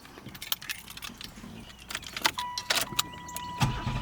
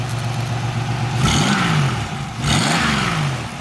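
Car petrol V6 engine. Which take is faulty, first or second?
second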